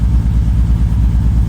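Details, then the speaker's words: BMW E46 drift car, 316,000 mi, being fixed for laggy throttle and bogging, just started: low lumpy idle with uneven loping beat and regular dropouts in exhaust pulses; multiple engine misfires. A fuel line popped off afterward. "We got a misfire. We got a couple misfires. We got a lot of misfires."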